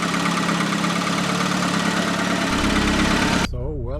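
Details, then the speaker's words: Ticking from the package (lifters) on first startup of a newly built SAAB engine during break-in, idle still rough as ECU adapts; quick light ticking about four a second, expected to quiet once oil pressure builds and they are lubed. "the ticking noise is the package as soon as the oil pressure is high enough and they are lubed up it will be quiet"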